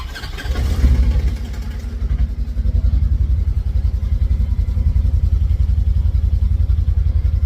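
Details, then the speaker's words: Polaris RZR 900 side-by-side, cold start: engine fires, revs briefly, then idles with a light regular clunk, common on these 900s and fading once warm; clunking on cold start. "that little a little bit of clunking right there right on the first startup especially a cold startup on these that was my Razor my Razor's always done it Taylor's does it too on cold start up"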